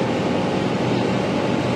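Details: AC unit after replacing a faulty compressor capacitor that showed no visible swelling or leakage (compressor hadn't run and was very hot): steady even hum from compressor and fan motor, no clicking, stalling or labouring; normal running.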